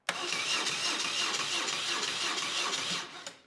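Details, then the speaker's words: BMW R1150RS that was severely overheated, cranking with the key on before any starting fluid: the starter turns the engine at an even pace with steady compression pulses but it never fires. Crank, no start, and compression seems good. "All right, crank, no start, just like the customer complained. It sounds like it has good compression. It's not like whipping over super fast where there's no resistance on the pistons."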